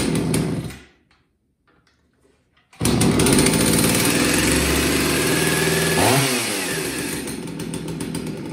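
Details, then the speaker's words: Chainsaw two-stroke after tune-up service, good compression, choke-started and warmed up, chain oiler confirmed working: idles steadily then revs cleanly and settles back; idle and rpm correct. "and yeah it idles fine it rpms up fine it's right where it needs to be"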